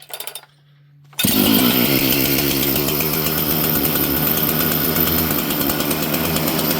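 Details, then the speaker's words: Chainsaw with governed carburetor, possibly a 288 or 281 carb, being tuned: fires after a pull and holds a high, busy buzzing idle that never drops; low-speed jet set too lean, causing fast idle. "It's uh it's a little lean. Oh, I see. That switch is uh a little bit not happy. It's uh this thing's a little lean on the low jet, and that's why it's idling so fast."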